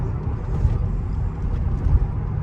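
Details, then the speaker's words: 2004 Mercedes SL55 AMG after correcting a faulty Silver's Neomax coilover install, no sway bars, driver-side muffler missing, driving straight: steady low road and engine rumble with no suspension clunks or knocks. "Oh yeah, no noise. Sounds great. Oh my god, it feels fantastic."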